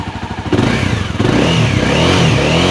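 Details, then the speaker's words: 2016 Honda CBR300R/CB300F, 21,000 km, no white smoke: single throttle blips rise and fall cleanly, engine sounding smooth and tight with no rattle or miss. Healthy engine revving. "หากฟังเสียงเครื่องครับโอ้โหเสียงนุ่มมากเสียงเครื่องนี่แบบแน่นจริงนะฮะแน่นตึ๊บเลย"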